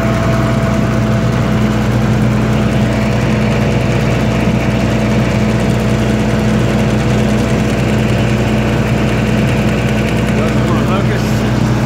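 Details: 1995 Libby MEP-804A 15 kW ex-military generator, 4-cylinder liquid-cooled Isuzu diesel rebuilt in a 2010 reset, 688 hours, new filters and fluids, started cold, governed 1800 rpm: steady even drone, no knocks, misses or rattles, running healthy.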